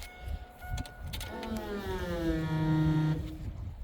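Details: 2002 Chevrolet S10 2.2 with crank-no-start problem: brief electric hum rises smoothly and holds about two seconds, then cuts off; strong, normal fuel pump priming.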